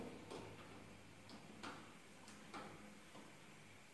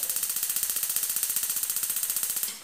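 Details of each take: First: 6-year-old gas stove, burners previously slow to light; after washing and lightly sanding the parts, retest shows several sharp, uneven spark clicks, then a soft whoosh as the burner lights quickly: normal igniter clicking and ignition. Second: Six-year-old gas stove whose burners are slow to light: rapid sharp ticking at about ten clicks a second that keeps going without the burner catching.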